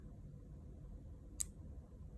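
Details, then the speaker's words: DC relay in a demo circuit switching a light bulb, coil voltage raised from the power supply (around 6.7 V): one faint crisp click over quiet background as the relay pulls in; normal operation. "so now i'm going to turn on the power supply turning on the voltage if you listen carefully you're going to hear the relays"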